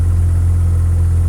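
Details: Mazda 13B rotary with Racing Beat intake and FiTech EFI in an 80-year-old Willys Jeep, O2 sensor unplugged, idle set around 1100 rpm; smooth, steady low buzz at a fast even idle with no stumbles or ticks, normal healthy idle.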